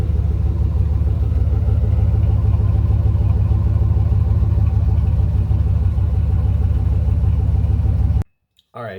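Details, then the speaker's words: 2003 Ram 2500 quad cab long bed at idle: deep loud rumble with rough uneven popping under the seat from an exhaust leak right behind the catalytic converter; fixed by installing a Flowmaster FlowFX cat-back exhaust. "kind of loud with that exhaust leak you can kind of hear it popping underneath the seat sort of speak kind of from where it's at"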